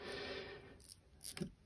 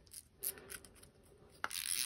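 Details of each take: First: KastKing Valiant Eagle 2 BFS baitcasting reel, new out of box: star drag turned produces a few sharp irregular clicks only at certain points, no clicker fitted; intermittent drag click of unclear cause. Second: KastKing Valiant Eagle 2 BFS baitcasting reel, star drag: a few scattered clicks, then a fast, even, high-pitched ratcheting buzz as line pulls off; drag is precise, clicker working normally.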